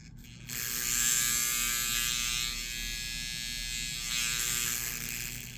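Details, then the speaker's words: 1958 (owner thinks) Lionel 2383 Santa Fe F3AA E-unit reversing relay, bench-tested via track outer rail to lever after an electrical-tape fix: harsh, high-pitched steady buzz, easing slightly midway. Quieter than before but still pretty loud and noisy. "it's still pretty noisy. Yeah. I don't really have a great before clip, but you heard it running, and it's quieter, but it's still pretty loud."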